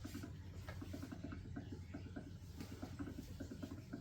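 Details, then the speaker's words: New Epson L3251 EcoTank printer during first setup: soft, quick gurgling pops in an uneven patter as the ink bottle, turned upside down, drains by itself into the black tank. Normal ink tank refill. "You can hear it sipping down on the ink."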